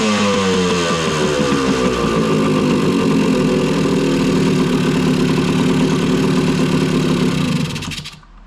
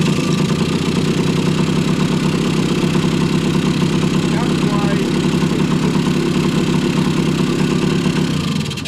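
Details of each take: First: 1980 Kawasaki KE100 two-stroke, sitting 10+ years, after ultrasonic carburetor cleaning; choke deliberately left on to add fuel and wash out oil; fast, uneven, popping rich running that slowly smooths as the oil clears before cutting out. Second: 1980 Kawasaki KE100 two-stroke, sat 10+ years, warm, after carburetor cleaning and timing set: crisp, steady idle with an even beat and no stumbling or hunting until shut off; runs clean.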